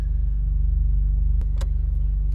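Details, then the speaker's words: Brother's turbocharged car, which the dealer said might need an engine after a scan-tool-indicated part was replaced, now fixed and revved outside: deep, steady rumble with even pulse, no rattle or chain slap; engine sounds healthy. "i just got home and i'm just kind of revving it outside he's got his windows cracked i don't know if he's going to hear from here but we'll see [Music] it's got a really distinctive sound to it"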